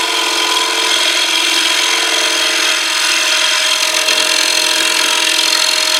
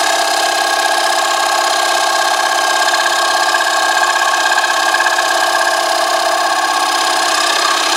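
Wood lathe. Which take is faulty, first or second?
second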